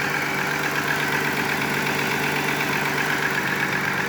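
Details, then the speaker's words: VW Eurovan VR6 just after in-vehicle timing chain replacement and fuel filter hose clamp fix, cold idle: even, steady smooth hum with light regular valve patter, no chain noise and no vacuum hissing; engine sounds healthy. "Can't hear the chains either. That's good news. I don't hear any hissing sounds from a vacuum"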